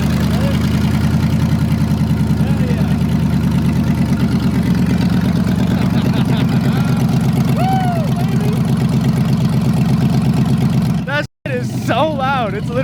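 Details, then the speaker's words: 1987 Chevy S10 with LS V8 swap, first start after six months sitting, had previously idled very high: loud, lumpy V8 burble settling quickly to an even 900 rpm idle, no misses or knocks; normal idle. "900 rpm dude she's been dead for like six months just sitting and it idles down so fast and properly god it's beautiful"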